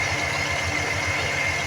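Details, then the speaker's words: 1988 Ford F-150 5.0 cold at idle, EGR not receiving vacuum; steady idle with a constant high whine from the air-injection air pump over an even engine hum; normal cold idle. "so I don't think it creates a vacuum Le which no it appears not to because vacuum's uh not being allowed through here right now cuz the engine's cold and it's at idle"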